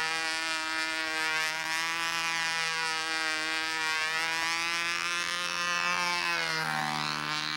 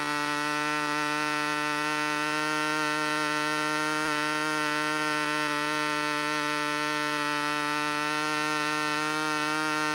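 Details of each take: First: Glow engine on a U-control (Windy U Master) plane in flight: high buzzing single-cylinder note holds steady then drops in pitch; doesn't sound so bad, but possibly the wrong prop fitted (suspected). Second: Glow engine on a U-control (Windy U Master) plane, needle just set before flight: high steady buzzing scream holding pitch without wavering, sounds about right, running clean.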